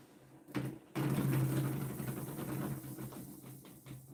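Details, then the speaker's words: Homemade pulse motor with the rotor riding on a bearing, running up to about 3,500 RPM: loud, buzzy, buzz-saw-like whir with a rough drone but no shaking. The noise comes from rotor-on-bearing contact; a magnetically lifted rotor runs quiet. "So it can get going pretty fast, but then it'll start to shake. Like when I ride it all the way down to the ground, it doesn't shake. It'll go up to 3,500 RPMs and it won't shake. But it'll make a lot of noise."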